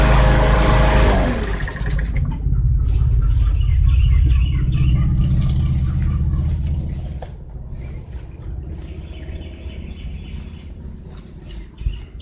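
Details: Bolens/MTD 11A-BOBL765 21-inch push mower, 140cc Briggs & Stratton 500 Series engine, cold start after sitting about 1.5 hours following no-start repair (old fuel): fires first pull, settles to steady even beat, no misses or surging; normal.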